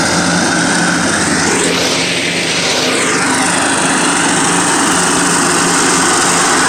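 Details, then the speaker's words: Cub Cadet lawn tractor mowing with blades engaged, also scraping the lawn and cutting low on one side: engine steady with harsh metal-on-metal rasp over the drone; worn, loose mower deck spindle bearings (baleros). "cuando pongo las navajas a trabajar tiene un ruido metálico un ruido feo no un ruido fuerte como un metal con metal los baleros"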